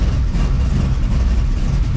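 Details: 1934 Ford Coupe hot rod at first fire-up after rewiring to power-button start; deep, steady, even rumble, no misses or knocks, idling smoothly right after start with oil pressure and voltage; normal idle.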